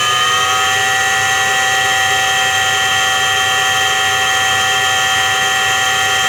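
Steady whining hum with several high, even tones that hold constant as the drum spins, typical of a worn drum bearing.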